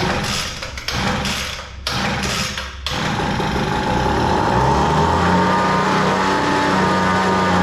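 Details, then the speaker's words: Cheap Homelite leaf blower with a two-position throttle that is either wide open or stop; a few pulls, then it starts and holds a steady high buzz at full throttle with no surging. "I had to open it up just a little bit, but yeah, now it sounds good, and it starts easy, runs good."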